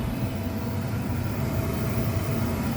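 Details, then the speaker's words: 1995 Tempstar 5000 central air with Copeland reciprocating compressor, first 2024 startup, heard at indoor unit: steady low air-handler rumble with smooth even hiss of refrigerant flowing, no knocks or rattles; normal cooling. "nice to hear that refrigerant flowing through there"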